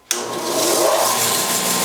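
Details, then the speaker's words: Harbor Freight 6x48 disc/belt sander, newly assembled, first run. The motor snaps on and settles into a smooth, steady hum with even belt hiss and no knocks or rubbing; normal running. "Yep, everything seems to run."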